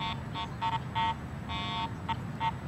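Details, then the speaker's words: Garrett AT Pro International metal detector, ground balanced for neutral soil, swept over a highly mineralized dirt pit: repeated short buzzing tones near 1 kHz swell and drop with each sweep. A false signal from the mineralized ground. "it's clearly picking up the soil here this mineralized ground"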